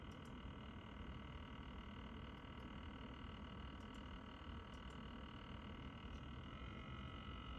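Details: NZXT Kraken Z73 AIO cooler pump: constant low, croaky buzz with a thin steady whine on top, never changing; pump buzzing, cause unclear.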